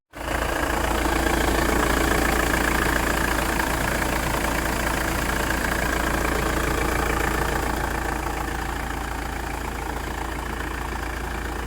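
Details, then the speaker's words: Ford Transit Mk6 Luton camper van, after repair of stalling at idle (pipes rejoined, battery reconnected): steady, even idle with smooth regular beat, no stumble or hunting, still running after 5 minutes; normal idle, stalling fixed. "not turning off still not turning [Applause] off did we fix it right it's been 5 minutes of idling it's definitely working"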